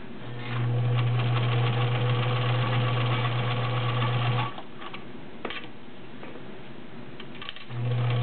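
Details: Vintage White Model 764 all-steel sewing machine, 1.3 amp motor, sewing 7 layers of real denim: fast steady stitching hum about four stitches a second, brief pause then even resumption, no strain; normal sewing under heavy load.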